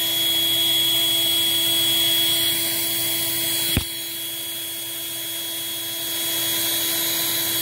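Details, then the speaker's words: Eureka 402 Superlite 2-amp vacuum with screen filter, airflow test run with the clear underside access door not installed, leaving an open hole: steady high-pitched whine with a single thump; air leak from the missing door. "you know i just remembered that i did not uh didn't put that little clear door on so we are running this thing with a gaping hole in the underside of it"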